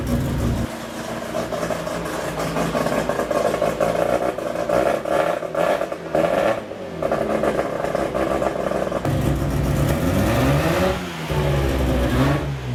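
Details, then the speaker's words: Freshly built rotary Miata after first start: revs up and settles to steady idle, smooth with no misfire or clatter; running good, under 150 degrees, about 78 psi oil pressure, good vacuum, volts a little low. "and it just feels tight in here not running clean or anything running good everything you know"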